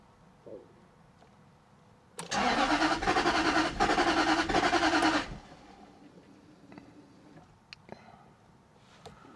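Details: 2001 Jaguar XK8 coupe unstarted for 10 years, cranked while watching OBD camshaft sensor data: steady cranking about three and a half turns a second for three seconds, never catches; bank 2 camshaft signal not registering; crank no-start.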